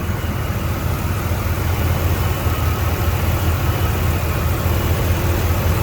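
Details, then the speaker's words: 1993 GMC Sonoma (S15) V6, 245,000 miles, idling after the distributor replacement fix: low, even rumble holding steady for six seconds with no lope, misfire or pulsing; a bottle on the engine shows no pulsation. "I mean, I can't even feel it pulsating. But 245,000 miles on this, but you know, things happen for a reason."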